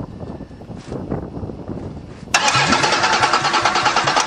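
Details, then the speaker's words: Chrysler caravan drowned, cranked via jumper at starter wire while checking spark: starter spins steadily about three turns a second but engine never fires; crank no start, owner suspects fuses or computer, will let it dry. "no start oh that's not good well time to check the fuses or the computer's bed one or the other"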